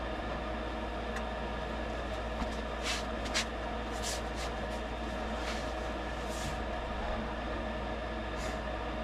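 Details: Rheem furnace after a stuck pressure switch was gently exercised on a no-heat call: steady low hum and even airy rush with no rattles or cycling off; running normally, though replacing the switch is still recommended.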